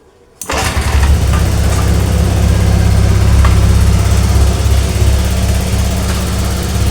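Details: Honda Vario 125 that stalled after washing, water in combustion chamber and exhaust: kick-start catches at once, steady low thrum holding under throttle with no misfire; water blows out exhaust, electric starter still not working.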